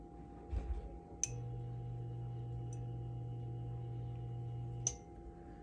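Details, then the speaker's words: Electrolux EI11BF25LS fridge not cooling: a click, then a steady low hum for nearly four seconds and another click as it drops out. The compressor draws 10 A and stalls; the start relay is faulty and was replaced. "so the compressor is drawn uh 10 amps which is not good when the compressor draws 10 amps we're going to have to check our components here to see what's causing this"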